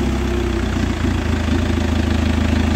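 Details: 2010 Chevrolet Captiva diesel after repair of engine light, 2000 rpm limit and DTC P089 fuel pressure fault: steady, even idle with low smooth rumble, no knocks or misses, loud with exhaust off; runs healthy.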